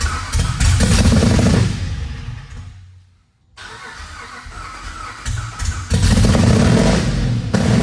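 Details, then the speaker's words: Cammed 5.7 Jeep Grand Cherokee after a cam install and new tune, on a first start attempt. The starter spins fast and evenly with little compression and no firing, like no plugs are in it; timing is suspected way off and plugs look somewhat fouled. "So it sounds like kind of like it's free spinning like there's no plugs in it."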